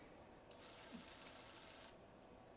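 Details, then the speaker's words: Nikon Coolpix S4100 digital camera found with lens stuck out: at power-on a thin, fast-buzzing lens motor whirs about 1.5 seconds and stops, straining; likely jammed from impact or grit. "oh this one's got the lens kind of stuck out so uh that's not a good or promising start power's on but e yeah you can see the lens is trying to move"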